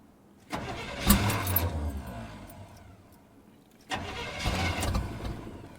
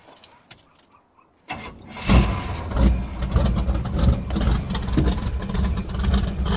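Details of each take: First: Suburban truck with suspected worn piston rings, after distributor work, on a 28° morning. Two cranking attempts of fast, steady churning that never catch. Cranks but will not start. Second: Cold start of a V8 truck with worn rings, heavy choppy cam and low compression (passenger bank 125, driver bank 100 psi), previously misfiring on at least three cylinders: short crank, then a slightly uneven idle, much better than before. Engine start and idle.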